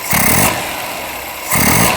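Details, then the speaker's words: Ceria carburetor after tuning, accelerator pump deliberately held in during snap throttle: two throttle snaps, each with a brief lag before revs climb, a hesitation on tip-in because the disabled accelerator pump isn't squirting fuel. "terasa ya teman-teman ada delaynya, ada jedanya."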